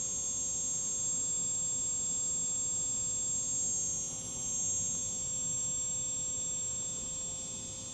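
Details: Quadcopter brushless motor spun on its own through ground-control software while suspect motors are checked: a steady, even high hum with no rattle or scratchiness; this motor runs smoothly and sounds healthy.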